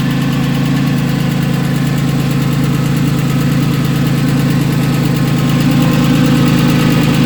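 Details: Porsche 996 with M96 engine at idle: fast, even tick about three per second riding over the low engine hum, source unknown.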